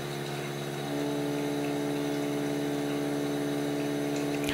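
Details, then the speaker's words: Osminion Slim Mix water filter unit, about 4 bar line pressure gauged in 3/8-inch hose: pump hum changes as the inlet valve is slowly closed, a firm louder tone rising and holding, pump labouring on restricted water supply while gauge pressure stays unchanged. "Je peux déjà entendre que la pompe fait un bruit différent, qu'au début, lorsque la vanne est complètement ouverte."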